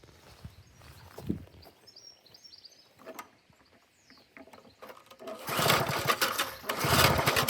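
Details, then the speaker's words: 1988 Briggs and Stratton push mower with auto choke, sediment-laden tank: several pull-cord strokes spin it over but it never fires; no spark suspected, unconfirmed. "Yeah, I'd say fresh fuel has been put into a dirty tank. So, that one's cleaning as well. So, here we go. This is what it's doing currently."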